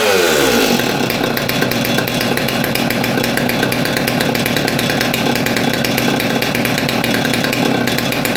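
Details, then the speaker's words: Old Stihl MS200T top-handle chainsaw that idled fine but wouldn't rev, after teardown and fuel line replacement (suspected cause): after a brief pull it settles into a steady, even high-pitched buzz with no bogging or stumbling; running healthy. "just like that saw is put back together cleaned up a bit hopefully it runs better I think that fuel line was probably our issue"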